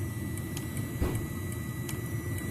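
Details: Webasto Top C 807 heater wired with a simple switch, warming up before full output while the dosing pump speeds up: a steady low burner roar with a thin whistle and light fuel-pump ticks; normal warm-up.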